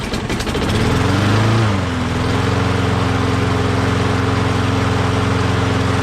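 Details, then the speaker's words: Self-propelled walk-behind mower stored about 6 months, primed a couple of times before starting: catches within a second, briefly revs, then steady even running with no surging or hunting; runs very well. "Awesome. As you saw, started right up, doesn't surge, runs very well."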